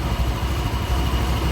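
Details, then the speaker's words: Used automatic scooter, 76,000 km, CVT noisy and rough: low idle rising and sagging unevenly, unstable; suspected dirty or too-small air supply, not confirmed. "bunyi dari stasionernya pun tidak stabil ya kemungkinan besar kalau dari bunyi stasioner yang tidak stabil ini setelah anginnya kotor atau kurang besar ya"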